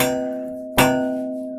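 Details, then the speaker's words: Royal Enfield 350 rear brake pedal: single sharp metallic clank when lifting the foot off the pedal, as the pedal strikes the silencer; caused by a loosened adjuster screw with 12 mm lock nut or a worn rubber bush under the pedal. "അപ്പോൾ ഈ ബുഷിന് തേയ്മാനം വന്നു കഴിഞ്ഞാൽ ഈ sound ഇങ്ങനെ, ഇതൊന്ന് ഈ സൈലൻസറിൻ്റെ ഇവിടെ തട്ടുന്നതാണ്, ഈ ഭാഗത്തായിട്ട് തട്ടുന്നതാണ്."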